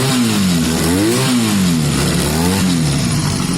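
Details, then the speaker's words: Honda CB250 bobber revving after carb float replacement and exhaust sealed with no blows; clean crisp rev blips rising and falling smoothly without popping from the pipes, healthy running. "honestly guys the bike's sounding really healthy to me really healthy i'm very pleased"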